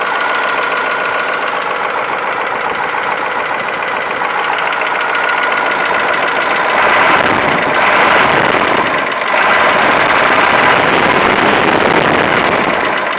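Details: Cat 3208T diesel in a 613C idling with a hard steady rattle-knock; stops when #4 (partly #2) fuel line is cracked; ran hours with injection pump over-advanced; fresh pump and turbo; less when fully warm; cause unknown (fuel, injector knock or broken piston/rings suspected).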